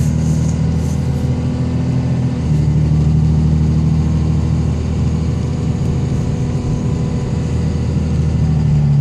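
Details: 2005 Dodge 3500 5.9 Cummins common rail, Smarty Jr, built transmission, 4-inch Magnaflow no cat, climbing a hill under load: heavy drone with rough uneven injector clatter; later solved with BD injectors.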